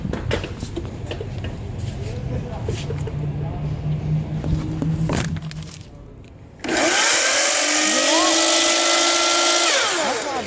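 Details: Chop saw brought to a shop for its noise, owner suspects bearings: after handling noise it spins up to a loud, rough high whine with rattle on top; owner says it doesn't normally sound like that, cause unconfirmed.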